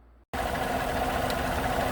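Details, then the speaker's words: 2014 Chevrolet Silverado 5.3 V8 after oil pump replacement for recurring P06DD oil pressure control code, oil primed by cranking: catches and settles into a steady, even idle, no knock or tick, about 275 kPa (38 psi) oil pressure; normal idle. "so it's up and running and the oil pressure is like 280 on the gauge on the dash and that's in kpa let's see what we're at 275."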